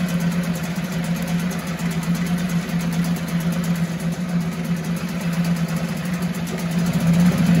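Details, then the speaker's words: 1974 Mercury 4 hp single-cylinder two-stroke outboard with Thunderbolt ignition, warm restart without choke after 45 minutes: steady even buzz at constant speed, no misfires or rattles; pumps water properly, normal running. "well folks there's nothing more exciting than here a run a motor run like it should runs like a top"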